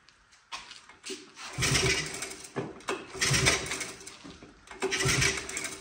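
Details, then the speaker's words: 1985 Honda ATC 110 single-cylinder, revived after spark test: catches after a few cranks and runs in uneven bursts of revs, sounding like a tiny motorcycle; freshly revived engine running. "I love that that's so cool it sounds like a tiny motorcycle it's hilarious"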